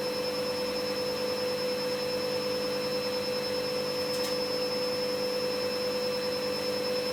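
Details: Candy GVS169D3/1-80 Grand O Vita 9kg washer, after soldering in new triac on control board fixing error E09: even high-speed spin, steady hum and smooth whine, no knocking or grinding; healthy.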